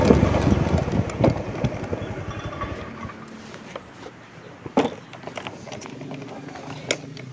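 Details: Honda Beat FI scooter runs roughly (brebet), fades and stalls, with weak sputters after; it is hard to start and the lambda reading is abnormal. Fuel pump pressure measured only 30–35 psi, which is abnormal, pointing to low fuel pressure.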